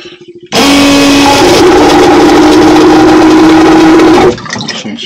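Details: Boat pump motor bench-tested on power before installation; kicks on with loud steady hum holding pitch about four seconds, stops cleanly; working, though a seal later pulses water.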